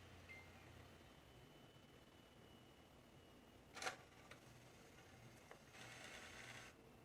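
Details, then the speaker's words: Water-damaged Xbox One X disc drive after the laser was replaced: the drive now reads and installs, but one sharp click is followed by about a second of raspy whirring, an abnormal mechanical noise of unclear cause. "now the only thing i'm concerned about though it's that sound it makes"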